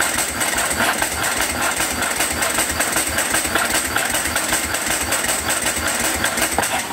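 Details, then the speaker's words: Ducati 749S cranks with rapid, uneven chugging of two to three beats a second and occasional weak firing but never catches; plugs wet, strong petrol smell from the exhaust, spark present, so it is flooding; the fuel pump was disconnected to run it leaner. "it smells like it's flooding but it still sounds like it's firing a little bit so I think we've got spark I think we're flooding"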